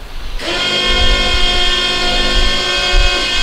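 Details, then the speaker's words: Rascal 600T three-wheel mobility scooter, heavy-duty seat lift lowering the seat indoors in a closed room: loud steady electric motor whine at constant pitch, smooth without grinding or stutter; normal seat lift motor. "that noise may be loud because we're in a closed room but that's the normal noise because that's a heavy-duty seat flip it's not a cheap seat lift"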